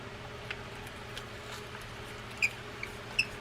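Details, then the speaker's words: Vintage Shakespeare 2091 Seawonder spinning reel after reassembly, handle fitted: quiet turning with two sharp high chirps per crank from the dry handle knob; squeaky knob, fix is penetrating oil. "hear the handle knob is kind of squeaky. This is another place where penetrating oil does wonders."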